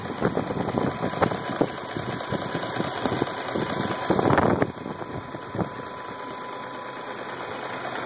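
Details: 1999 BMW 540i Sport idling lumpy and uneven with irregular thumps and a brief surge partway through; rough idle.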